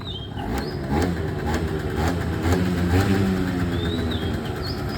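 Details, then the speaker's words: Suzuki Verde 50cc two-stroke scooter, Japanese used import, hand and kick start: starts easily, crisp buzz picking up cleanly and dropping back evenly on each throttle blip, birds behind; healthy engine. "อ่าเรามาฟังเสียงเครื่องกันครับเครื่องฟิตสตาร์ทติดง่ายนะครับนี่นี่เครื่องติดแล้วนะครับ"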